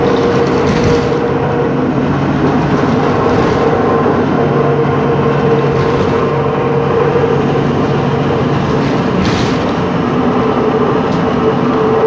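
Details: 2013 MAN Lion's City CNG bus, MAN E2876LUH03 EEV turbo engine, ZF Ecolife 6AP1400B 6-speed gearbox, heard inside while driving: steady cabin drive noise with a constant whine near 500 Hz; faulty, noisy differential.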